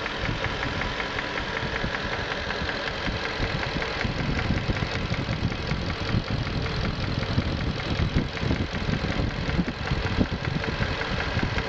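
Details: 1994 Q45 V8 idling with a fast, steady ticking and light rattle over a rough, busy idle; owner suspects valve and timing chain noise, not confirmed.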